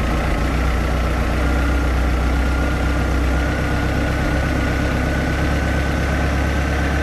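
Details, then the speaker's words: 3.0 liter MerCruiser 140 boat engine with new Sierra carburetor during mixture adjustment: deep, fairly steady but slightly lumpy idle that is beginning to smooth out. "so you do have to do some adjustments to it it's not just plug and play so we have to fine-tune it a little"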